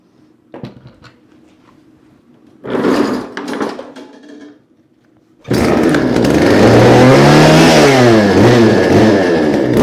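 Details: Discarded chainsaw after its dirty carburetor was ultrasonically cleaned, 150 PSI compression: after a couple of pulls it catches and runs strong and steady on choke, revs wavering gently, no knocks or rattles; normal running.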